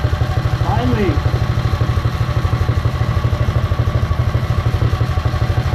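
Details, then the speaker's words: Predator 212 single-cylinder on a Mega Moto minibike after fitting a CDI performance ignition kit, battery-powered, belt off: even low thudding idle about three beats a second with some clutch clatter; smooth, steady, healthy running. "Alright, it looks good. Sounds pretty good too. That seems to run very well. It's very responsive."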